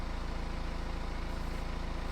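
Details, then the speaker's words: BMW 318 idling after the antifreeze-contaminated drive belt was replaced; the squeak began when the water pump leaked antifreeze onto the belt. Smooth, even idle with a steady low pulse and no squeak or chirp: normal idle. "all changed over she's sounding as good as go"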